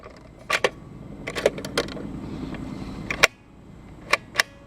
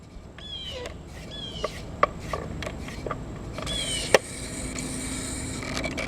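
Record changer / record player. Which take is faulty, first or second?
second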